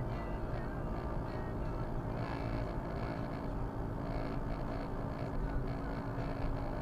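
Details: Viofo A119 V3 dashcam two weeks old, recorded while driving: dry buzzing rasp over road rumble coming and going with bumps, loose part rattling inside; known fault fixed by attaching the foam pad.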